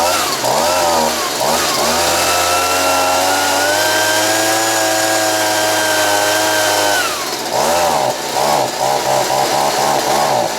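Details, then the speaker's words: Stihl BG55 two-stroke leaf blower, worn, carb kit replaced, screws about 1.5 turns out: revs cleanly when cold, then bogs and surges once warm; caused by air leak at crankshaft seal (part 9639 003 1230), replaced as fix. "so as you saw that when I first started it it ran really good it revved up quite well but as soon as it started to warm up you could hear it bogged down"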